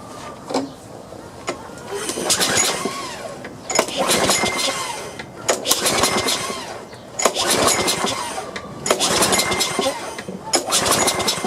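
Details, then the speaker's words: Free Troy-Bilt lawnmower with a clogged air cleaner and gummed carburetor, no gas in the tank: repeated pull-cord bursts with brief sputtering catches that die straight away on carburetor cleaner spray; no fuel. "let's see if it'll crank or even try i don't have any gas in there so"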